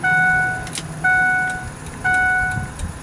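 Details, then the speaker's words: 2004 Ford F550 Super Duty turbo diesel: turn flasher clicks steadily about once a second with no dash indicator or exterior lamps lit; pushing the multifunction switch restores flashing, so the multifunction switch is faulty and needs replacing. "You can hear the turn flasher, however you see no indication on the dash, nor are the lights flashing outside."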